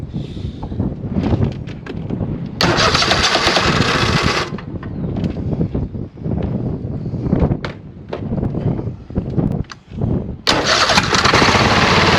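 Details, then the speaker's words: 26 HP Kohler V-twin mower catches, then runs choppy and uneven with stumbles and dropouts on one cylinder. The ignition coil on that side is dead with no spark, confirmed with a timing-light inductive pickup. Exhaust is rich, black and smells of gas. "this coil is dead it doesn't spark at all and that was confirmed by the timing light"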